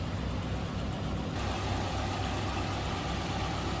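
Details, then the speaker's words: 1941 Cadillac Series 60 Special Fleetwood, 346 cubic inch flathead V8: smooth, even low idle rumble with a steady beat and no knocks or ticks; engine idles cleanly and quietly. "That's how quiet that runs."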